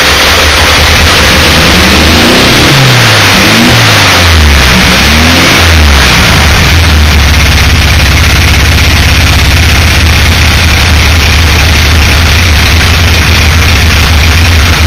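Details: VW engine catches and settles to a rough idle with an uneven knocking beat underneath; owner thinks the fan is loose but is unsure; engine knocking.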